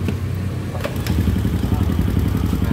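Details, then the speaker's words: Honda Supra X/Grand motorcycle engine at idle: steady low idle with fast hollow tok-tok knocking like a loose part; clutch rattle at idle, from a loose clutch-basket rivet and worn damper rubbers. "suaranya jadi tok tok tok tok tok tok jadi seperti ada suatu barang yang longgar ya"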